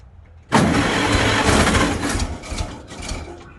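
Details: 1955 Farmall Cub antique gas tractor, battery trickle-charged overnight, with choke on and fuel in the filter: starter spins briskly about three seconds but it never fires. When it does start it runs rough, as if on two cylinders; tune-up planned, starting with the plugs.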